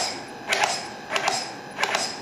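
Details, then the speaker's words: Turnigy SK450 quadcopter with stock Multistar ESC firmware, throttle chopped up and down: three short whirring bursts that barely climb before dying. The motor is slow to spool. "see how quickly it reacts it's really slow doesn't even get to you know quarter throttle or throt quarter speed on the motor so to get the full speed you got to go and you hear how long that takes to spool up that's definitely not what you want on a multirotor"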